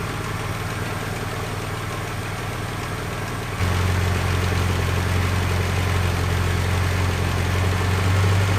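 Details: 1976 US Capri Ghia after fixing carburettor fuel leaks, vacuum systems still not working: steady, even idle stepping up slightly after a few seconds, runs fairly smoothly, warming up; normal idle, though owner unsure tuning is spot on.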